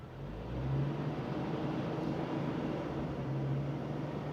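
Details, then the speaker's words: 1999 Jeep Wrangler Sahara 4.0, 5-speed, at steady fast idle after exhaust manifold replacement, loud raspy exhaust rumble from a rust hole in the rusty muffler. "plus the whole exhaust under it's pretty rusty I can actually like hear the rust hole in the muffler right now actually sounds kind of cool but this thing's loud enough going down the road it is"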